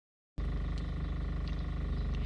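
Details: 1998 Mazda 626 2.0L rough idle varying in intensity, sometimes shaking the whole car; slightly uneven pulse with faint wobble; fuel pressure gauge jitters in step with vibration; two injectors found leaking (wet); owner unsure that's the sole cause.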